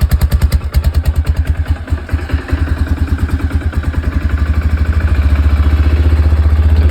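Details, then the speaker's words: Quad after loosening the carburetor idle screw, engine still cold: steady, even low thumping idle that stays smooth without stumbling or hunting; sounds good. "sounds good like that but it is still cold so"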